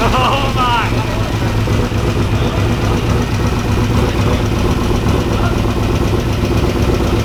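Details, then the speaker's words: 1992 Ford F150 prerunner, first start after a five-year build: loud, uneven idle that chops and stumbles; rough running, fuel pressure way low (reading about 40 vs 60 expected) and oil pressure low at 26-27 psi. "way low on fuel pressure and the oil pressure is too low"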